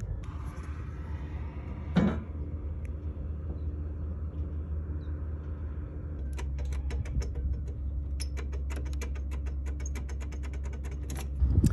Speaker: Those wires are not even secured by the breaker lugs. They're loose and you can even hear them arcing.